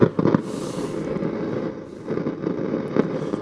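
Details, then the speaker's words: Precedent stereo valve radio, after alignment with the signal generator removed: irregular crackles and pops over a low background hiss from a noisy mica capacitor; not too bad at the moment. "We got a mic cap. But we have a noisy micer. Okay. Anyway, at the moment, not it's not too bad."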